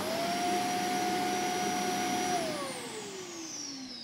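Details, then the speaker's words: Zanussi compact power canister vacuum cleaner briefly switched on: a steady, even motor whine at constant pitch that winds down smoothly after switch-off. It's not very noisy, with decent suction and no rattle or grinding. "So it's not the noisiest vacuum I've heard, and it's got pretty decent suction."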